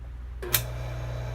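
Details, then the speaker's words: 115-volt two-speed hot tub pump motor after bearing replacement (bearings ruined by leaking shaft seal), wired to low speed: switch click, then smooth even low hum, no grinding or rumble; normal low-speed running. "there's our low speed. Everything works great."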